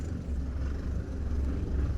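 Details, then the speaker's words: Mitsubishi Triton MN after fitting a new pair of front CV shafts, driving slowly in low range: a steady low rumble with no clicking. It previously went click click click, especially when steering. "Not a single clicking noise. I cannot believe it. Ever since I got this truck a couple of months ago, it always used to go click click click."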